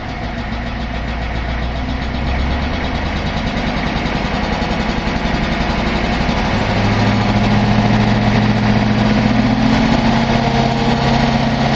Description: Engine knock heard from inside my 86 F350 with 6.9 IDI Diesel.